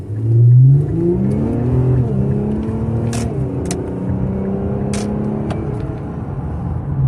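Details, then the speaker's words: 2018 Infiniti Q50 Luxe 3.0t AWD, cat-back muffler delete, about 57k miles, oil changed: a thin whistling hum climbs with the engine note under throttle, louder than before and growing over the last 10,000 miles; turbo suspected but unconfirmed. "It's definitely what I would describe as a whistle. And it was never as loud as this."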